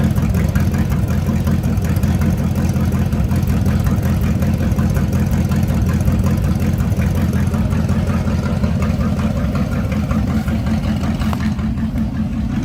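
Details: Carbureted Camaro V8 with electric fuel pump, owner asks whether it's cammed: deep, steady lumpy burble idling at what is believed to be around 700 rpm, even firing with no knocks or misses; it had some trouble starting but idles normally and healthy.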